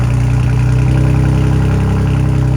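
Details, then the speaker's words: BMW M4 with S55 engine after new spark plugs to cure a rough idle: deep, steady idle with a faint occasional wobble, no knocks or misses; not idling perfectly but not bad, feels and sounds much better, no fuel smell. "it still has like a little like you can until it's not idling 110 but it's not idling bad at all I think this might just be a s55 thing that I'm not used to"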